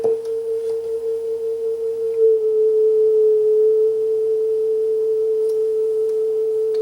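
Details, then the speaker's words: Sanyo dual cassette deck playing a test tone that sits clearly sharp with slight pitch waver and wow and flutter; tape running fast, motor speed needs adjusting at the trimmer on the back of the motor; flutter blamed on the low-inertia flywheel. "hear that wow and flutter do you hear that sweater okay let's make it worse that's about it that's about the size of things yeah it's uh leaves something to be desired that's just poor quality right that's just due to the that's just due to the lack of inertia on the flywheel that's what's causing that nothing more tha"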